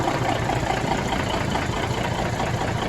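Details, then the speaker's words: 1981 Peterbilt 359 diesel on its first start after reportedly sitting a year, bought untested for a rebuild. It cranked easily and smokes slightly; the AC belt is off, probably cut. A steady, even idle with no knocks or odd noises. "Sounds good. I don't hear any knocks. I don't hear any crazy mystery noises."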